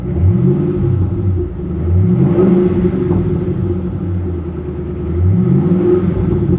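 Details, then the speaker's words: Ford Mustang Roush 427R from Copart, out of gas, check engine and airbag lights on; smooth deep V8 rumble with easy blips under 3000 RPM and back down, no knocks or ticks, healthy and quiet. "don't worry I'm only revving it up to three thousand it was under 3 000 RPM guys it's it's fine"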